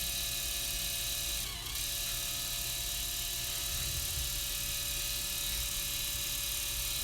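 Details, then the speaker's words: Motorised camera tilt head, similar in design to the automated slider, run before greasing: a thin, steady high screech over the motor's whir. It sounds dry and squealing, and the cause is unclear. "you know what I'm going to run it as well probably see it's a little screechy and I don't know"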